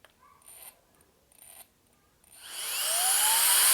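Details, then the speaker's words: Alffaa Violent Turbo Fan electronic air duster (45 mph, 3 speeds), switched to gear 2: two faint brief buzzes, then motor spins up with rising whine; startup software jump-starts motor, fails, retries, and runs. "It tried to start the motor, it couldn't start it. It did it again, and it couldn't start it, and then it did it a third time."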